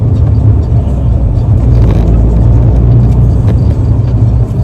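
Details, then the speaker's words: Rover T-series engine, phone on the speedometer while driving with windows open: deep, steady engine drone, smooth and even with no knocks or ticks; healthy engine pulling cleanly. "I don't know if you can hear how good this car sounds. It is such a lovely sounding engine. The Rover T series sounds good."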